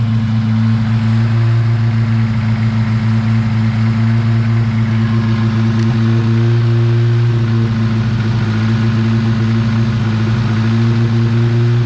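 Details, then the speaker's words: 1986 Honda Civic, carbureted, cold on choke: even, raised idle with no clear hiss; broken, leaking vacuum ports, one on vacuum block broken off and plugged; fast cold idle with vacuum leaks. "so currently the choke is working and uh idling the car up as it should but i have a few uh vacuum ports that are leaking and broken so i'm going to address that"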